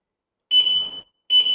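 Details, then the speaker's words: Two sharp, high beeps from the Tuscany 150 scooter's anti-theft alarm in setup mode after pressing unlock, counting its sensitivity level; five beeps marks the most sensitive setting. "เสียงที่เราได้ยินเนี่ยนะครับก็จะเป็นระดับความแข็งของตัวสัญญาณกันขโมยนั่นเองนะครับถ้าดัง5ครั้งเนี่ยแสดงว่าเป็นหยุดระดับที่อ่อนที่สุดนะครับ"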